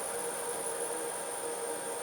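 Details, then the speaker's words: Myford Super 7 lathe on the new inverter control box, turned way down to low speed in the current belt position. Quiet, even hum with a faint steady whine, running nice and steady, no knocks or rubbing. Normal low-speed running. "and she runs nicely even at nice low speeds so that's very nice to know she runs nice and steady"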